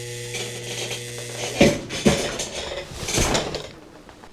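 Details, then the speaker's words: Home central A/C compressor after a new breaker was fitted: steady mains buzz cut off by heavy clunks as it tries and fails to start, lights dimming and breaker box buzzing; cause unconfirmed. "It's trying. You can hear it buzzing."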